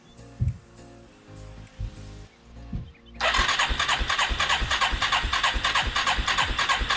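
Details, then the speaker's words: 1989 Yamaha Moto-4 350 ATV, budget rebuild, first crank: fuel tank drained and refilled with ethanol-free 90 octane, mixture screw set to 1.5 turns, choke on; steady cranking, engine doesn't catch or run. "Still no fire on the ATV. Well, fire, but it won't run."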